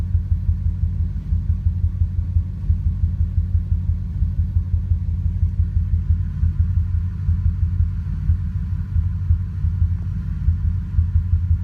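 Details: Truck with 5.4 2V V8, intermittent bank 2 misfire for three months, coil pack replaced, no codes: deep idle rumble that pulses unevenly and stumbles, shaking especially in drive. Rough idle with intermittent misfire, cause not found.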